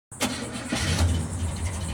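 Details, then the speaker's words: 1986 GMC pickup after starter solenoid swap for hard starting: catches and settles into an uneven, lumpy idle with wavering low rumble; rough idle, owner plans to diagnose the carburettor next. "You could hear how rough it's idling. Terrible."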